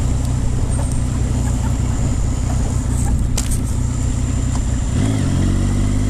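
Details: Triumph Speed Triple 955i motorcycle engine running with a rough, pulsing low note that abruptly changes to an odd droning tone; cause unknown.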